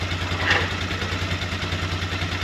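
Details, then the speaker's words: 2003 Polaris Sportsman 400 single, first start after valve adjustment, timing and reassembly: steady low putter at idle with the choke off, no ticking or clatter, an even beat, so it idles normally and healthy. "Wow! It sounds really good! That's a choke off, that's idle."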